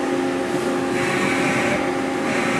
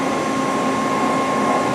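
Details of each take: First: CNC machine X-axis jogging during a spindle and axis check before production: steady, even servo whine with a smooth airy hiss and no knocks or grinding; the axis travel sounds healthy. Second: CNC machine with two-gear spindle gearbox, cold, not yet warmed up, spindle chiller oils the gears, spindle run at low speed: steady even whir with faint gear hum, no knocks; gearbox slightly loud but acceptable.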